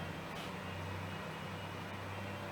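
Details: Australian Bore Pumps 48 V DC solar bore pump restarting after tank float sensor circuit is disconnected: steady even low hum, constant tone, no knocks or surging; runs normally.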